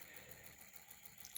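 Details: 3D-printed Newman motor on 12 V with a new round commutator: quiet hum with a faint, fast, regular tick as the copper foil segments bump due to height differences; the earlier thumping is gone.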